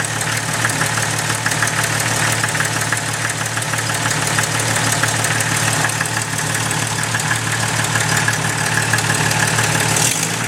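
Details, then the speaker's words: Jeep Cherokee 4.0L at idle, heard through a listening tube at the back of the engine: light fast tick over steady idle; cheap OBX header manifold gasket blown apart, exhaust leak, fixed with Felpro gasket. "Got a lovely tick coming from the back side of the motor. You're listening to it through that tube, it even sounds like it's down deep."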